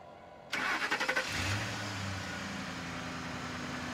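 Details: Ford F150 after replacing heat-delaminated relay 203: six or seven quick cranking beats, fires and settles into a smooth, steady idle; starts cleanly.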